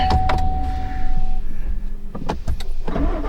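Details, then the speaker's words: 2019 Chevrolet Silverado Z71, 34,000 miles, towed in for no-start no-crank: brief crank then clean start to steady low idle when shifted to neutral; park-position issue suspected. "Put it in neutral. Oh, look at that. Would you look at that? Fired right up."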